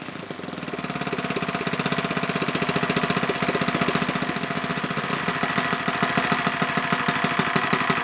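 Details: OS FS 120 PreSurpass four-stroke glow engine, bought used and rusty on eBay, test-run on a stand on 16% nitro fuel with a 16x6 prop. Slow, even firing pulses hold steady at low idle, building slightly in strength: normal low idle.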